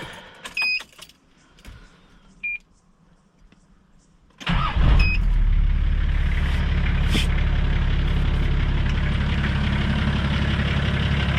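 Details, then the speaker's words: Nissan Patrol TD42 diesel after oil and filter service, already run that morning so not cold: dash beeps, fires at once, smooth even idle with steady low rumble while filters fill; normal idle. "Sounds good. I did have it running this morning, so it's not cold."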